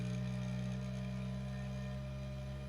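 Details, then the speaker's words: Bambu Lab A1 Mini Combo 3D printer print head running its initial-setup mechanical resonance (vibration) test, frequencies around 66 to 197 Hz; steady low even hum, no rattle or buzz; normal resonance calibration tone. "So it's now doing the mechanical resonance for vibration. I'll just let you hear It's vibrating so fast. You can't even see the head moving, but is vibrating."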